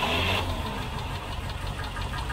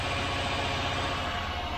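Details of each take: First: Rover V8 idling after half a mile from a cold start with good oil pressure: quick, steady light tapping from one faulty hydraulic tappet, rising in frequency with revs; definitely not an exhaust leak. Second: Rover V8 with a new camshaft and hydraulic tappets, 30 lb shims on both banks, held at about 1500 rpm: a steady, even note with no ticking or tapping, so the tappet noise is resolved and the engine runs sweetly.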